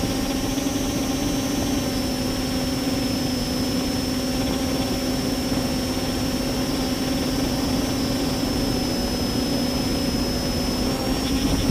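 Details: Multirotor with camera tilted 15° down causing bad vibrations: steady low drone with a thin high motor whine throughout, rough; owner suspects ESC or motor bearings, unconfirmed.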